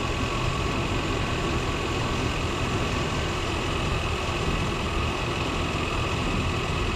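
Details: 1993 Chevrolet truck, 350 V8 throttle body injection, warm in closed loop after thermostat replacement: smooth even low rumble with no misses, knocks or hunting; idle staying good and low, healthy.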